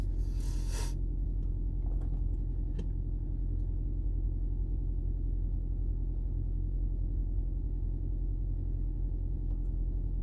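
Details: 2010 Toyota Prius hybrid that had been rattling, shaking and misfiring with no DTCs: after fitting a new genuine EGR valve and clearing codes, it idles with a steady, even rumble and no knocks or stumbles. Normal idle.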